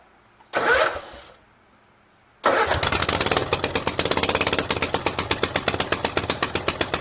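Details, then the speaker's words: Craftsman garden tractor, 20.5 HP Kohler Command V-twin, with newly fabricated exhaust elbow and forward-pointing straight pipe, started on half choke: short crank, catches, settles into loud, crisp, even open-exhaust popping; runs smooth and healthy. "man oh man does that sound mean or what that sounds mean that's cool i'm gonna keep it like that that's cool"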